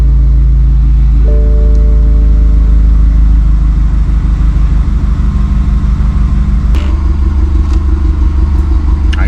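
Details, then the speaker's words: 2016 BMW 428i xDrive (F32, N20/N26) just after a fuel pump replacement, with the fuel code cleared: the engine starts and settles into a steady, even low idle with no knocks or misses, a normal idle. "So now let's start it and see what happens. That is completely normal for it to do that."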